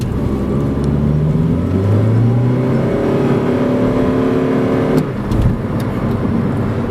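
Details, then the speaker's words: 2011 Honda Civic Si (8th gen FA5), manual, bought from dealership with known slipping clutch; in third gear, revving under load, revs flare and keep rising while road roar barely changes, so the clutch is slipping. "Now I'm in third. I'm gonna rev it. See? Hear that? So that was slipping."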